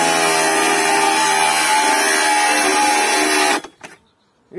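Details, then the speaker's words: Hengdian cordless angle grinder from AliExpress under load: steady high motor whine for about three seconds, then abrupt cutout when pressed slightly, its overload protection tripping much earlier and more sensitively than the compared Violeworks grinder. "то есть мой хинган уходит гораздо раньше в защиту сейчас покажу он чуть надавил на его и он сразу же уходит защиту ."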